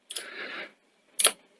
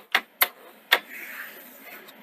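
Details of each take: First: Sony SL-C30 Betamax in standby, after fixing the alignment of the gear that actuates a loading microswitch: short rustle of the cassette going in, then two crisp clicks about half a second apart; the switches now actuate properly. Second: Sony SL-C30 Betamax after front-loading mechanism rebuild: sharp uneven clicks and clacks as the loader cycles, tape failing to load without help; switch alignment suspected, not confirmed.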